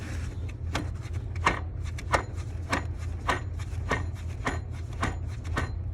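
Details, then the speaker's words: 2006 Duramax diesel idler pulley spun by hand: a dry, gritty rasp about every two-thirds of a second, louder than the other pulleys. This idler caused a variable whirring, whine-like engine noise. "Not loud, but louder than all the rest. And the other one was directly over the alternator all the way down here. This one's more suspicious."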